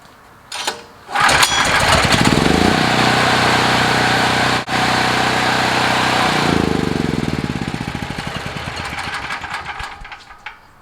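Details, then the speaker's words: Several-years-old Generac recoil-start portable generator, hot, restarted with choke in: fires on the first pull and runs evenly at a steady rate; easy, healthy hot start, voltage steady. "started first ball with a chokes in and normal on a hot motor I really like it I think the voltage is super steady on it"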